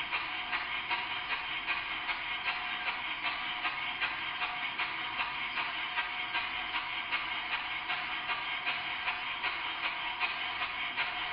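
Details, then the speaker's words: Model steam plant Number 10 engine with slide valve, after timing set, slowed to quarter speed: hissy exhaust puffs at an even beat with breathy leak, wheezy; steam suspected blown to exhaust before doing work, not confirmed. "this speed you can clearly hear that the engine is very Wheezy something is not quite right and I'll look at that in due course"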